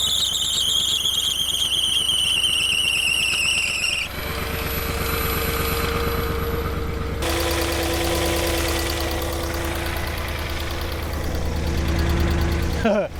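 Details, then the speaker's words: Porsche Cayenne, 4.5 L twin-turbo V8, bought cheap, first cold start after reconnecting battery: quick steady tick over engine noise, sitting low in the engine; source not pinned down, cause suspected but not confirmed. "And then straight away on startup, you can hear that ticking."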